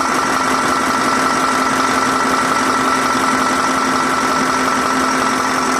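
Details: 2022 KamAZ crane truck diesel with a knocking complaint, injectors swapped from a working truck, no fault codes on the scanner. Here it gives a steady, even idle with a smooth unbroken beat and no knocks or misses.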